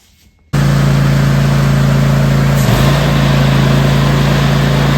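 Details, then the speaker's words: Riding or zero-turn mower deck running with the blades off: a steady, even drone with no knocking, rattle or vibration. The earlier vibration came from blades mounted in the wrong position and loose; the belts and pulleys are fine. "Yeah, that's smooth. Yeah, so the belts and pulleys are just fine. It was definitely those blades."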